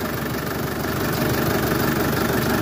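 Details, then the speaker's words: Old classic diesel car, long stood and just revived, idling evenly with steady diesel clatter, no misses or heavy knocks; running again, normal idle. "ja wie man hört er läuft wieder"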